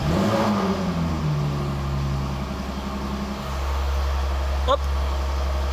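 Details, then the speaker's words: Jaguar F-Type after greasing the sport exhaust flap valve shaft with high-temperature grease: in dynamic mode with flap fully open, engine revs and settles with clean exhaust note, previous flap squeak gone. "Si vous êtes en mode dynamique, tac, hop, vous avez le le petit drapeau qui apparaît là. Là, le bruit disparaît, vous êtes en full échappement libre."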